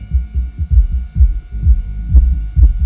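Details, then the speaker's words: Taramps MD12000.1 0.5-ohm car amplifier under repair, with a bad resistor replaced and burnt diodes found, powered with the sub connected and no music: a deep, uneven throb about twice a second over a low steady hum. Another fault remains. "on voit qu'il y a un peu de son je sais pas si vous l'entendez mais on voit qu'il y a un autre problème"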